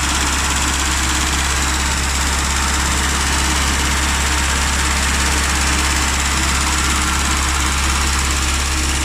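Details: Rover Mini / classic Mini with points ignition, previously left unused for three months, now started: an even, unbroken idle drone with no misses or stumbles. Normal idle.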